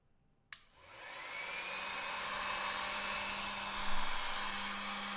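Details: 12 V air pump on a barrel-jack adapter whose power supply is suspected of being dangerous: a click, then a steady, even hum and airy hiss with no stumble or rattle; it runs fine.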